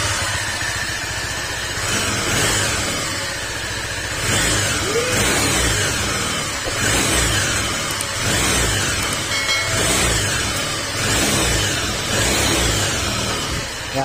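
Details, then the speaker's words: Honda PCX160 scooter at 46,712 km, running before an engine overhaul: loud, deep, rough running with a coarse rumble that surges every few seconds, sounding like a big bike. The cause is worn crankshaft (sigunyal) bearings. "Meron mga ganitong problema talaga mga sir. Kasi ang problema nitong ganyan tunog, doon sa sigunyal, yung sigunyal bearing."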